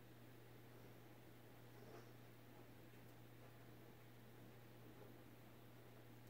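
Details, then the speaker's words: Emerson 1895 Series 52" ceiling fan CF4352PB04, KB-55 stack motor, mid-late 80s, low speed in reverse: faint even hum, low steady drone, no ticks or rubbing; normal operation. "goes about the same speed I think in Reverse this looks about the same maybe a little faster I don't know I can feel air definitely from it"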